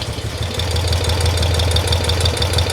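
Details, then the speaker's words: BMW R90/6 boxer twin idling with a rapid, light clacking, the "sewing machine" noise, worse on the right side. It is blamed on side play in the rocker arms rather than valve clearance. "claque moins le problème il est pas dans le jeu vraiment au soupap mais il est dans le jeu latéral"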